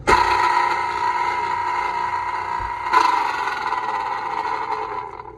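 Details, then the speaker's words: Electro Freeze ice cream machine beater drive motor run with belts removed: loud steady mid-pitched howl on each spin-up fading on rundown, internal parts hitting as it spins; faulty motor itself. "That's a bad motor. Wah, wah, wah. Here's the thing. Cost on this motor is probably 800 bucks."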